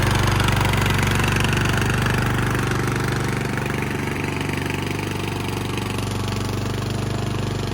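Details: Craftsman LT1000 yard tractor, long unstarted, after new battery, tune-up, fuel lines, oil and filter change, new spark plug and belts: even, steady thump about four beats a second, no knocks or misses; engine runs smooth and healthy.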